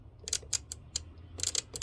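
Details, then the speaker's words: BMW E30/E36 fuel pump relay bench-tested with a 9V battery: sharp crisp clicks in irregular bursts like a good relay, yet found to be an aftermarket relay; car wouldn't start because fuel pump wasn't turning on. "see this is a good relay so this is actually a found out this was actually a aftermarket relay"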